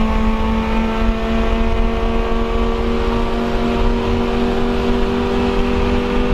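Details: Honda CRX, Spec-D catback with added Vibrant 2.25in muffler and bottleneck resonator before the axle-back, at constant speed: steady, even engine note with a smooth deep drone, no rattles or misses; healthy exhaust.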